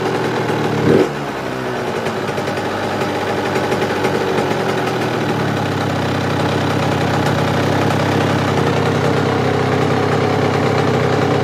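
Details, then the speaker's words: Suzuki RM85 two-stroke, first start-up after rebuild, warming up with motor mount bolts just tightened: ragged uneven idle that hunts instead of settling; air screw and idle still need adjusting. "the idle and everything still isn't right but i'm just gonna let it warm up a little bit and then i'm gonna let it cool down it's idling"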